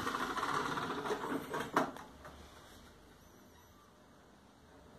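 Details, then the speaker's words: LG LM-U1350A radio/CD unit: two seconds of light whirring and ticking gear noise as the CD mechanism loads, then quiet; mechanism noisy but works and plays the disc. "A mecânica tá com esse barulhinho, porém ela funciona direitinho, ok?"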